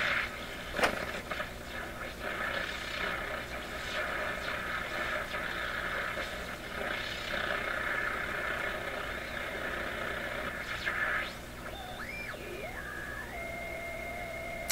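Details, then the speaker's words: Pye 39HC shortwave tube receiver, all bands played as a baseline before tube replacement, with a hum possibly from a weak rectifier: steady hiss, then sliding heterodyne whistles as the dial moves; no station received. "I wish I could pick up at least one station."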